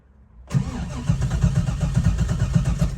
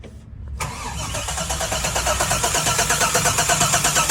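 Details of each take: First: Engine with Holley Terminator X EFI, key on: starter cranks about four beats a second, never catches, and the EFI screen reboots while cranking. Battery or key-on cranking voltage drops too low, so crank, no start. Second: Engine with the Holley Terminator X EFI harness fully unhooked: starter spins it with an even chug about three beats a second, no grinding or clicking. Cranking is healthy, showing the cranking circuit is separate from the engine computer.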